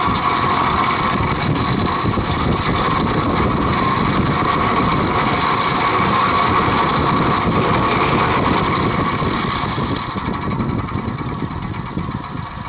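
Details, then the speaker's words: Vintage Penncrest (rebranded Lakewood) 20-inch 3-speed box fan on high, oiled repeatedly, no motor shaft play, blades tight: fast chattering diesel-like rattle over motor hum, fading on spin-down; owner suspects worn bearings, unconfirmed. "it sounds like a diesel engine when it runs it's rattling it's noisy i've oiled it several times before the noise doesn't go away"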